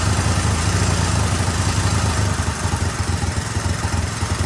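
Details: 1999 Yamaha Warrior 350 ATV with replacement carb after a head gasket job, valves unchecked, first start: uneven single-cylinder run with irregular metallic clanking nearly twice a second; owner suspects a top-end fault.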